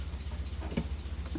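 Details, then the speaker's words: NA Mazda Miata after cam-bolt failure repair, computer reset, first run with coil pack plugged in: slow, deep, lumpy idle that sags very low but is fine when held up; low idle. "very low idle and then it does okay but when i keep the idle up it's fine"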